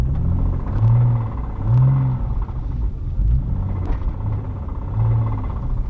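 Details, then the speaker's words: Porsche Boxster on a road test, bought sight unseen, probably leaking coolant: low, lumpy rumble at low revs with faint irregular taps under load from the engine behind the seats, suspected rod knock; suspension and sway bar noises also present. "That rod knock though, that knock."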